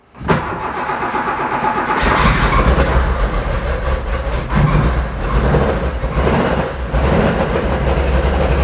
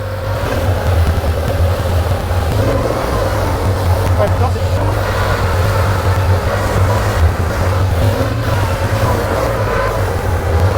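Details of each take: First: Porsche 911 2.8 RSR build flat-six on Link ECU: runs rough and lumpy and smokes a lot, uneven beat instead of a smooth six-cylinder hum; misfiring with cylinders 1 and 5 not firing. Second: Porsche 911 2.8 RSR build flat-six, after repairs to dead cylinders 1 and 5: deep, even rumble holding steady with no misses; cylinders balanced, idles beautifully, normal.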